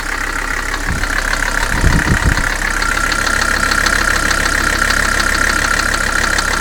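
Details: Mercedes 300SD diesel at idle with a heavy, uneven knock of about three per second; owner believes it is the bottom end, bad bearings, linked to oil leaks. Engine knock at idle.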